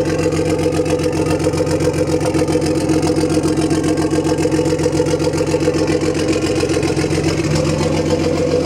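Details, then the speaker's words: BMW E36 320i turbo drift car, just restarted after refuelling: an even, steady idle at a constant rate with no misses or stumbles, described as running like clockwork; a clean, normal idle. "Ah oui, c'est vrai. Ça tourne comme un réveil."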